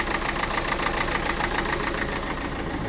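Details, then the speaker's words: 2011 Renault Scenic 1.5 dCi diesel starting late and poorly, then idling with a lumpy stumble of about three to four beats a second. The dash shows injection and anti-pollution warnings, and the code is a cylinder 1 control circuit open; an injector is suspected. "I start the engine. So the starting is very uh poor. It's starting very late is misfiring."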